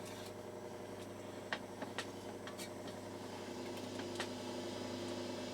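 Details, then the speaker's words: Defiant T12 reel-to-reel tape recorder under repair for low volume: motor runs with a steady low hum and rough whirr, slightly noisy, needs attention. "let's switch on you can hear that slightly noisy motor I'm going to have to do something about that"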